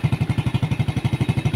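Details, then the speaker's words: Motorcycle that wouldn't run without its battery, being tested after a starter repair: battery disconnected, the engine keeps running. Even, steady exhaust thumps at about ten per second, no misses. "Ngayon tatanggalin natin 'yan. mamatay o hindi. Oh, pag mamatay. But ag hindi goods yon. Goods pa siya mga idol."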